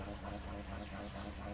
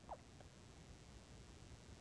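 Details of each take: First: Maspion electric fan on speed 1 spinning weakly with a steady hum and rough rattly buzz; the shaft turns stiff and heavy in a dry, worn sleeve bushing, to be replaced with a bearing. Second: Maspion standing fan on speed 1 after replacing the worn bushing with a bearing: soft steady low hum, no rattle or scraping, now smooth unlike the noisy weak-airflow start.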